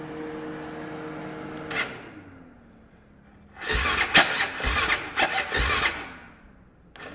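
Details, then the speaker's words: 1996 Kawasaki Mule 2500 UTV with faulty starter relay and fan wired always on: fan hum fades, then a few weak, uneven cranking bursts die away; battery is dead. "Battery's dead."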